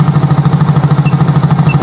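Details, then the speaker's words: Soul GT fuel-injected scooter, warm at 80 °C, after MAP sensor fault fixed: even, steady single-cylinder idle, no stumbling or stalling; intake about 43-44 kPa, 2 ms injection, idle control 20%. "ini motornya sudah tidak mati-matian lagi ya ya teman-teman ya berarti sudah sembuh penyakitnya berada di sensor Max"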